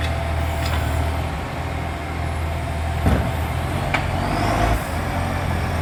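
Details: Loud diesel exhaust leak on a 3520 truck: deep diesel rumble with sharp puffs breaking through under load.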